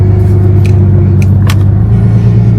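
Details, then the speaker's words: Ford Mustang that sat for a long time, idling in gear but not moving: faint steady whine over the rumble, identified as the automatic transmission pump rather than power steering; the car won't go into gear. "hear that that's not power steering that wine is from the transmission pump oh yeah"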